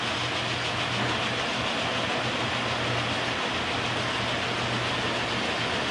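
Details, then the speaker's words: K&T milling machine after oil-system flush and refill with oil, oil pump flowing: clutch pulled for the first time with the spindle at its lowest speed. Smooth, even hum and gear whirr at steady loudness, no knocks or grinding. Normal running. "So I'm going to pull the clutch for the first time. I got the spindle in its lowest speed."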